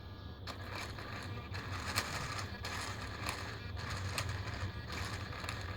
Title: Savox servo clicking sound